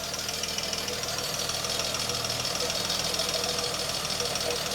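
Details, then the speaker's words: Princess 2200 automatic just started after sitting: engine runs with a slightly lumpy, unsteady beat and hissy intake; one carburettor draws strongly, the other hardly at all, owner suspects one carb doing all the work, possibly air bubbles. "this one is sucking a lot this one is not at all almost"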